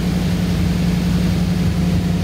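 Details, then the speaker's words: 1985 Ford Bronco V8 revived from unknown condition, after new spark plugs installed; steady even low rumble, smooth quick idle with no misses or stumbles; idle speed rising with each change, normal idle. "sounds like it's getting better and better idle speed has definitely been getting faster the more changes i've been making"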